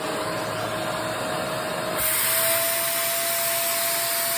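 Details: Shark vacuum being checked section by section for suction loss: steady high motor whine and rushing air, pitch stepping up slightly as airflow strengthens, no extra clog pitch or strain. Normal vacuum motor with clear airflow.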